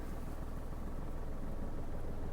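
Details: Manual car in first gear with handbrake on, clutch released to the biting point: steady low idle hum deepens and softens slightly as the clutch takes up, the sound change marking the biting point; normal engine response to load.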